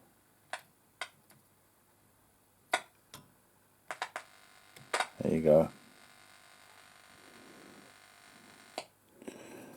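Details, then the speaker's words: HMV 1421 set under restoration: a coil continuity test with a dampened contact gives a short buzzing hum after scattered clicks. This shows the coil is good and the problem is that it is simply disconnected. "hear that buzzing so that caused good it's just them not connected"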